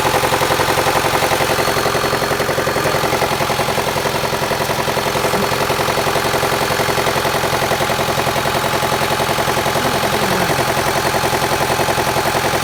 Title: Стук мотора 4b12 mivec outlander xl 2008 Подскажите что это может быть